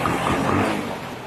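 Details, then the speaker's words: Carbureted Honda Beat scooter that clicked on starter but wouldn't start, original fuel pump refitted, throttle pumped three times before starting: short steady run settling into smooth normal idle, no misfires or rattles. "Tapi sebelumnya itu dikocok dulu 3 kali Mas Bro, kalau keadaan motor mati. Tuh. Nyala Mas Bro."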